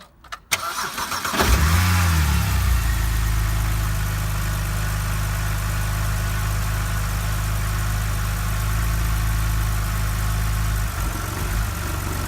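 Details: BMW 130i, cold start: catches after a brief crank and idles low, slightly uneven and lumpy for the first 10-30 seconds, then quiet; engine warning light on, owner suspects lambda sensor.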